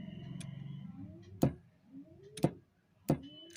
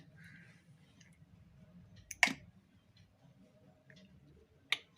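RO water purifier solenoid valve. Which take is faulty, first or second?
first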